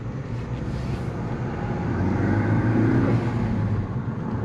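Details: 2015 Ford Focus ST 6-speed manual after repairing missing 2nd gear, clutch bled, no fault codes; pulling cleanly in first with a smooth rising drone and no grinding or clunks; gearbox sounds healthy.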